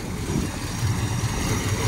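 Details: 1970 Pontiac GTO V8 with dual exhaust, first start in years: low, even burble at idle with a steady lope, no tapping or misfire; purring, sounds like it should, normal idle.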